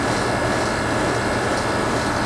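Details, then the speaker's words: 2001 Carrier TECH2000 2-ton AC (model 38TRA024320) with a Copeland compliant scroll compressor on R22, COOL mode, good subcooling: steady hum and smooth fan whoosh, slight vibration but only 68 dB, no knocks; running cleanly. "yeah it's got a good install you can hear it has a coupon compliant scroll compressor um 14th year data sheet it's kind of vibrating but it honestly doesn't matter because it's only 68 decibels loud"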